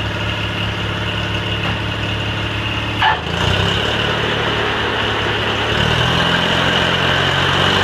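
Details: Cub Cadet 782 garden tractor with rebuilt 42-inch snowblower, started after sitting a couple days: steady even idle, low drone with one brief clank partway through; engine holds smooth and healthy.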